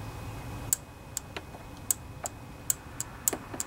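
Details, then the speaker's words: Kohler Pro Courage 26 hp twin-cylinder engine on a Craftsman DGS 6500 riding mower, engine off with key at first position after carburetor rebuild: sharp, crisp uneven clicks show the previously gummed-up fuel shutoff solenoid now works normally. "Hear that clicking? That tells us that that fuel solenoid is working just fine."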